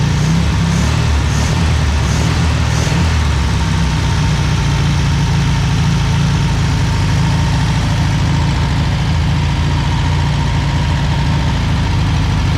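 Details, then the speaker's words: 1963 VW Beetle ragtop air-cooled engine, first run after sitting about 27–30 years, running rough with a low, chuffing, uneven idle after the correct fuel pump was fitted; the fuel pump was why it wouldn't stay running. "it's not running the greatest but it's running the fuel pump was the issue for its stay running again i can hear it it's not running great but that's an older car"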